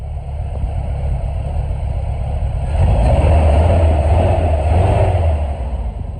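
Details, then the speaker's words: 1996 Chevy S10 drift truck, first start after engine rebuild with milled head and light intake port and polish; steady idle swells into a firm rev and settles, even with no knocks or misses; healthy. "All right, there we go, YouTube. The drift truck is running. I'm gonna have to put it through some break-in cycles, of course."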